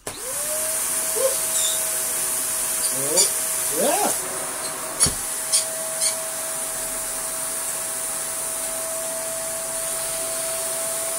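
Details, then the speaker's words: Shark vacuum from a joblot on power-up: a smooth high motor whine holds steady with no brush-roll thrum beneath it and only a few handling clicks. The floor head is dead. "well this one has a dead floor head"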